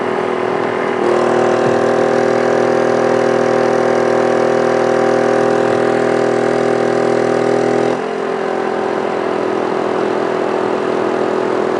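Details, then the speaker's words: 800/1000 W inverter generator running a 5000 BTU air conditioner, switched back to max cool soon after the compressor cycled off: the drone deepens and strains about seven seconds, the overload light comes on, then it eases. Owner suspects he didn't wait long enough. "The overload light came on the generator. I think I might have not waited long enough, but it didn't."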